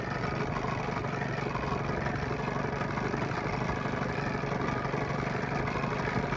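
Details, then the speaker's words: Evinrude/Johnson 9.9–15 hp outboard after fuel pump and carburetor rebuild, setting low-speed idle screw at lowest throttle: uneven lumpy idle about four pulses a second that smooths considerably once the mixture screw is turned back; rough idle from incorrect low-speed mixture. "right now it's running rough i'm going to feed it back to here now smoothed out considerably"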